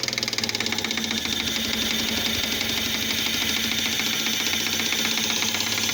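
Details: 2005 Fiat Palio Fire 1.0 8v, after a timing belt, tensioner, oil and spark plug change: fast, sharp metallic tapping in step with the idle, like a rod knock; a spark plug electrode broke off and fell into the cylinder.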